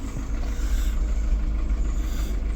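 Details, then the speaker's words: VW Polo 6N AFH engine restarted after wiring removal, not run for a good while: deep, lumpy idle that wavers and never settles into an even beat. Rough running; owner suspects it needs oil, cause unconfirmed. "it sounds like rubbish but it's it's not been run for a good while probably needs oil as well"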